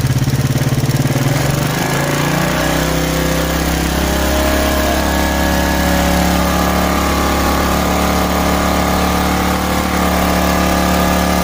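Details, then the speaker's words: Smash motorcycle after carburettor repair (was sputtering, fuel-thirsty, black plug): catches and settles into a smooth, even idle that rises on its own; no more excess fuel, running properly. "क्योंकि कार्बोरेटर में काम करने की प्रक्रिया सामान्य है, अब दहन कक्ष में अतिरिक्त पेट्रोल नहीं जा रहा है , इसलिए अब कोई उपद्रव नहीं है"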